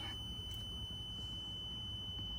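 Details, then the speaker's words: 1997 Lexus LX450, 317,000 miles, cold and not started for about a week. Steady, continuous electronic warning tone when the key is inserted with the door open. Normal key-in, door-open reminder chime. "So, you'll see that as soon as you put the key in, like it knows the keys in there. Some of them don't do that. That's because the door's open."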